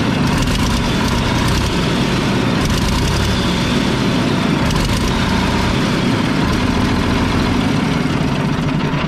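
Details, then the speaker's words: Mack tank truck diesel: loud heavy idle with an uneven, lumpy beat and periodic stumbles, a cylinder missing; loose injection pump delivery valve suspected, not confirmed; bad exhaust leak and fuel leak also present. "I just realized this delivery valve is loose. That's probably why it's missing."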